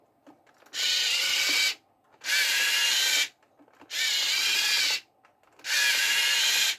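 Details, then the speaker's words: Small RC motors powered by a 5V 2A mini boost module stepping a fully charged 1S LiPo (4.2 V) up to 5 V. They whir in roughly one-second bursts, then cut out every two seconds under heavy load; loose connection suspected. "actually i spoke too soon it's now starting to cut out so unless one maybe we have a dodgy connection here"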